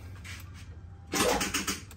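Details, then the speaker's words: Nissan Stagea NM35 after engine reinstall, cranking to build oil pressure: short sluggish burst of slow labored cranking that dies quickly; battery too weak. "oh that's not strong enough no 2.21"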